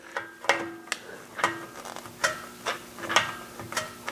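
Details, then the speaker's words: 1995 Porsche 993, rear parking brake adjusted through the hole after a rear brake job: sharp irregular ticks about once a second as the star adjuster is turned, the shoe retaining spring snapping over its tines; normal clicking that keeps the adjuster from spinning free. "So that little clicky noise that you're hearing in there is the actual retaining spring for our shoes, and it runs right over the tines on the adjuster, and it helps keep the adjuster from spinning free."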